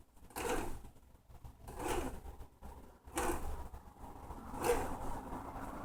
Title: MyT300 Resistance and light grinding noise (but works great!)